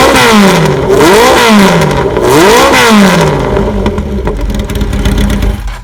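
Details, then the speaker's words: 1985 Kawasaki ZN1100 LTD four-cylinder, cold, fresh oil, filter and plugs, KZ1000J carbs, unbaffled exhaust; revs up and down cleanly with no knocks or rattles; motor believed internally good, though charging system does not work. "I think the motor internally is good."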